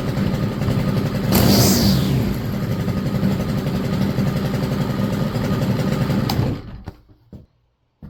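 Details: STIHL FS 100RX trimmer, long-sitting, after clutch replacement: small two-stroke buzzes at a steady fast idle with a brief rev early, then shuts off; runs smooth and even.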